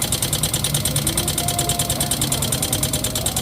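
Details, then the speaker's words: Yamaha Mio M3 125 scooter, hard to start with electric starter failed, kick-started: steady idle with fast, even metallic clatter about three per second; rough engine noise not from CVT, automatic cam chain tensioner to be checked first. "Nah untuk suara mesin yang seperti ini itu bukan berasal dari bagian Sipi atau bagian sambelnya guys"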